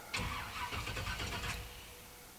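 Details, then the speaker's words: 1985 Chevrolet Monte Carlo SS, 350 V8, after flood, original mini starter: one short ~1.5 s cranking burst, no firing, building oil pressure; engine turns freely so no hydrolock. "another thing that this test is kind of letting me know is that uh I really don't have any like hydrolock type situation because the engine is really cranking"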